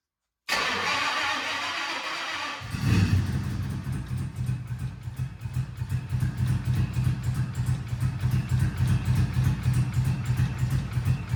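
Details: 2008 Toyota Prius with 5.3L LS V8 swapped in, first cold start: cranks, catches, uneven loping idle with stumbling beats; cylinders one and two cold, likely injector issues flooding them.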